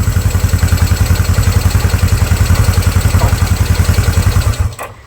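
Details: Restored classic Honda motorcycle (CB360 or CB125) fired up after completed restoration with new paint and re-chroming: steady, even putter of about three and a half beats a second, smooth and regular with no knocks; healthy normal idle.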